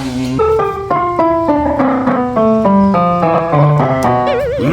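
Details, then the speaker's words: California GM650 keyboard after repairing its broken power input: notes sound rough and hoarse with an unwanted warble, caused by a dirty pitch bend/modulation wheel, to be cleaned with quick-drying spray. "Esto está ronco el piano este. No se preocupen, esto también lo vamos a arreglar. Apagamos el piano, ese ruido raro que tiene, el problema es por aquí, en el pitch bend o modulador, como quieran llamarle."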